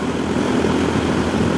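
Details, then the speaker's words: Heil unit with the evaporator coil replaced: steady, heavy rush of air at the return with no tone. Static pressure is about 1.0 against a 0.5 maximum external rating, still too high even after the blower motor speed was lowered. "we still have a lot of static on the return as you could hear you hear how it started where we closed it"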